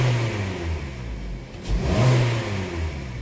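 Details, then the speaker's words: Petrol Hyundai/Kia engine with code P1326 (TSB campaign), checked after clearing the code: idle then quick snap throttle rises and falls smoothly, no rod knock or clunk; knock detection reads off. "It's just knock detection off, so it didn't detect any knock."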